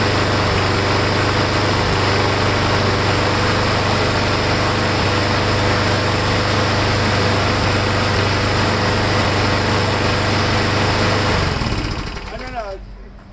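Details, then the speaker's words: Briggs & Stratton Quantum engine running steadily: pressing its built-in primer (air filter base) makes it sag and bog as extra fuel floods in, showing the primer is now feeding fuel. Warm engine, before the cold-start retest. "Sounds like it's working."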